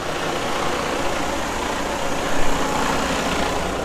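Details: Diesel truck after priming the fuel system with a homemade priming pump: deep, even diesel rumble at steady idle, no stumbling or misfire; fuel is reaching the injectors and the engine idles healthy.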